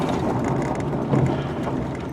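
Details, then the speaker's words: 1996 Mercury Grand Marquis driving over bumps: dull irregular clunks and rattles from front end, separate noises on left and right; worn sway bar end links. "Then pretty good clunking and clanking going on in the front end here. Let's see if it'll do it."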